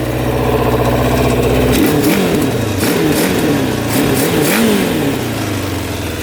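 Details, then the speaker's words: 1979 Suzuki LT500 Quadzilla with a 750cc engine swap, running without choke: crisp throttle blips rising and falling cleanly, revving out fully with no stumble. Healthy running, and it restarts easily. "running pretty good revs out completely I just can't believe it's running this good"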